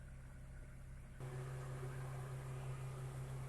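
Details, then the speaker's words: Car AC after reinstalling compressor relay, engine idling with AC on: idle hum, then a steady low tone cuts in and holds evenly as the compressor engages; gauge manifold shows 30 psi. Normal AC compressor engagement. "ở đây có vẻ Hi kim trên ống góp đang ở mức 30 psi điều này cho thấy máy nén đang hoạt động bình thường"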